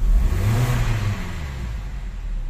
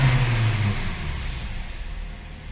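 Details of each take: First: 2010 Hyundai Tucson petrol, warm engine, after fuel pump motor assembly replacement: strong low rev that falls back slowly and evenly from high to low, no stumble or hesitation; fuel pressure holding, engine fuelling cleanly and healthy. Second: 2010 Hyundai Tucson petrol, no fault codes, stalls after about 3 km and hard to start: engine revs up then RPM sinks and fades by itself without throttle change; failing fuel pump motor assembly suspected.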